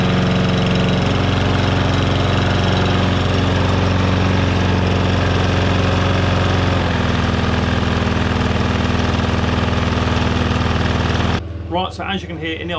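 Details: Lawnmower after bent crankshaft was replaced, on test run: steady, even engine drone at constant speed with no knocking or misses; slight shake from a slightly bent, unbalanced blade, far less than before the repair. Started with some backfire.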